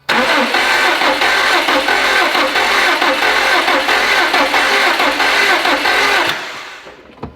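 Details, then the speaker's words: Subaru STI with newly installed engine that locked up after a timing kit install, cranked with crank sensor unplugged: fast, lopsided cranking about two beats a second, no firing; sounds down on compression in maybe two cylinders, owner suspects jumped cam timing. "to me it sounds like it's down at least a few maybe two cylinders sounds like there's no compression I am worried it's a timing related issue"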